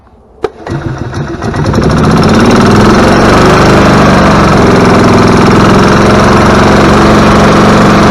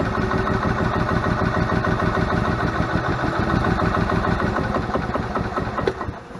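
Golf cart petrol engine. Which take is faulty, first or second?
second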